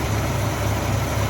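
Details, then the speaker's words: Steady even low idle after radiator replacement, new thermostat housing, cooling system burped of air and fan belt tightened; no knocking, hunting or belt squeal, idling smoothly. "And especially compared to the last video when it was burping, you don't hear it knocking anymore. We had big air bubbling block."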